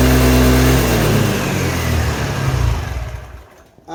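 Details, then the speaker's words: Kymco Agility Renouvo Naked 50cc four-stroke scooter after fitting a new complete variator and rollers to replace the broken variator and torn belt; a clean rev rises and falls smoothly with no rattle or slipping whine. "Impeccable, impeccable. On a réparé même le truc."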